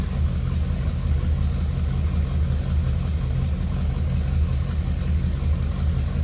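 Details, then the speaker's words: 1932 Ford Roadster street rod, Gibbons glass body, 239 cubic inch flathead V8 with Edelbrock heads and Fenton intake, idling just after a cold start with high oil pressure: deep, even low rumble, steady beat, no knocks or misses; running good even cold. "that old school Flathead [Music] sound"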